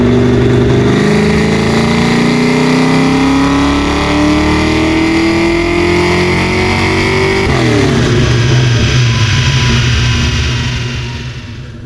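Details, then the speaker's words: 393 stroker built from a 351 Windsor, in a Ford street car on the dyno on the stock computer: revs climb smoothly, then the note stumbles and goes ragged as throttle comes in; engine breaking up, cause undetermined. "If you listen close, you'll hear it break up as soon as we let in the throttle. This becomes a problem later in the video."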